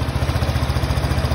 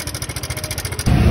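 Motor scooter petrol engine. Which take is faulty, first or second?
second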